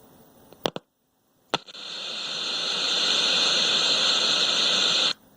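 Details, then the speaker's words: 1970s General Electric colour TV, model CYA7342, with volume cranked. Touching the test point before the IF detector IC brings up a faint steady static hiss that then cuts off, showing the sound IF transformer is faulty. "can see if touching some eye up to this IC does anything for us yeah it does you can hear it ever so slightly you're the static"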